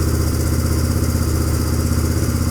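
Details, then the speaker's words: 1997 Suzuki DR350 single after new flywheel key, warming up: steady fast thumping at a raised idle with no dip; idle high, possibly a stuck throttle, still judged somewhat unsteady though character changed. "I think it's better it sounds sounds different I'll let it warm up a minute it sounds like the idol is still unsteady"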